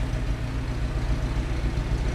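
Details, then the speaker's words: Military four-wheel-drive vehicle with leaf springs at a museum: low, steady four-cylinder idle with an even pulse under a loud, very distinctive whooshing fan noise; sounds healthy. "a lot of fan noise are very distinctive fan noise"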